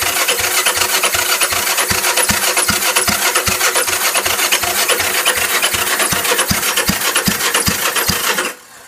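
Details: Honda CB450 motorcycle: steady, even starter churning at about two and a half beats a second for eight seconds, never catches, then stops; cranks but won't start.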